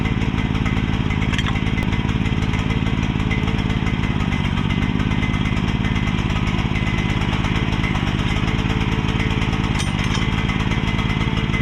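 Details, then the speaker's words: Mini excavator small single-cylinder engine after fitting a pull start: steady, fast putter at constant speed with no misses or knocks, running fine. "So, as y'all saw, it runs."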